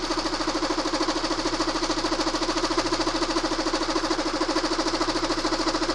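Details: Constant metallic rattle pulsing about three times a second over a steady idle, loud once the propping bolt is backed out, quiet while propped; loose timing drive rattle.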